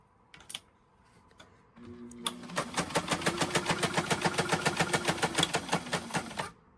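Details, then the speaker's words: White 1563 sewing machine that sat in a garage, before cleaning and oiling, set to zigzag: steady clack about three and a half per second, hard and uneven with a rough mechanism knock; may need major overhaul. "All right. So, again, it's making a noise. um by the sounds of it might need some a major overhaul."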